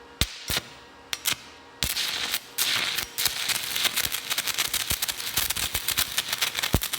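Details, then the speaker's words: Hitbox TIG 200 stick welding a 7018 rod at 120 amps: steady crackling sizzle with rapid irregular pops, even through the bead; normal stick welding arc. "okay I bumped it up to 120 like I wrote down this is the 70 18"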